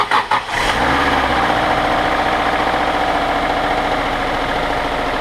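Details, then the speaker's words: 1999 Subaru Outback, 162,000 miles, said by another mechanic to need a new engine for noise, started for a test with the timing tensioner and idler pulley refitted: cranks briefly, catches at once and settles into a steady, healthy idle. "Sounds done. Sounds great. Sounds really good."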